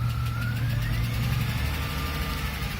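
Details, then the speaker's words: 2004 Chrysler Crossfire idling after hard driving: a thin whine above the low rumble from a worn alternator bearing, alongside a tick-tick-tick lifter tap; alternator bearing noise. "there's two noises the tick-tick-tick tick-tick-tick is the lifter the a noise is the the alternator bearing that"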